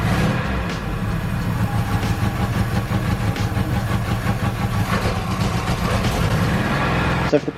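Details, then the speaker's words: 1976 Subaru 4x4 wagon that has been hard to start for a couple of months: the idle lumps and wavers unevenly and never settles; cause unclear, owner plans to replace the spark plugs first. "when i've managed to get it started it doesn't idle very well you can hear in the previous clip it just doesn't sound right"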